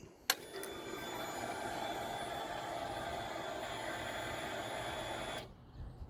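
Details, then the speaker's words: 2022 CFmoto Adventura 650 motorcycle at key-on: a click, then an even electric whir of about four to five seconds before cutoff; fuel pump primes longer than owner expects, cause unclear. "The fuel pump seems to run for a long time. I'll let you hear"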